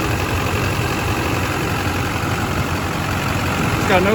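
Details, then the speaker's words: Four-wheel-drive California-emissions diesel truck at 241,000 miles, idling: steady low diesel clatter, even, no surging or extra knocks; no blow-by, no exhaust smoke; sounds healthy. "Sounds good up here. Then we don't have anything going on as far as any smoke or anything puffing out of the exhaust."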